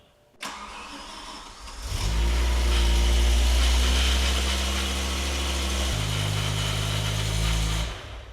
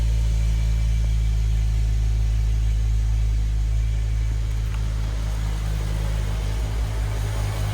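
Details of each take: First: BMW E60 M5 V10, first start after rod bearing replacement with no coolant in yet: cranks, catches, fast idle with faint light clacking, suspected to be the water pump running dry; bottom end sounded smooth. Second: BMW E60 M5 V10 after rod bearing replacement, restarted with the belt off so the power steering pump is not driven: deep, steady idle with even low pulses and no bottom-end knock; bottom end likely fixed.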